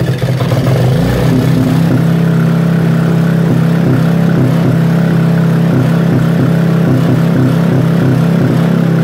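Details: Robin small single-cylinder engine during restoration, first start: steady regular firing pulses, even note, no knocks or rattles; runs healthy.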